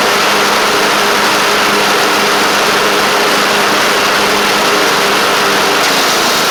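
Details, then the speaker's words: Craftsman LT1000 mower with Briggs Intek engine at an even, steady idle, firing cleanly without stumbles or mechanical noise; it runs good and shifts great. A deck belt fell off and a double-stack pulley is suspected bent. "yeah it runs good shifts great"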